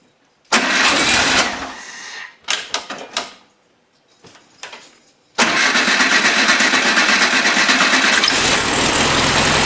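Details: 1973 VW Beetle after new carburetor, fuel lines, plugs, wires, cap, rotor and valve adjustment: brief crank, stumbling, then fires and holds a busy, slightly uneven run; owner suspects the carb is jetted too lean for the 009 distributor. Rough running.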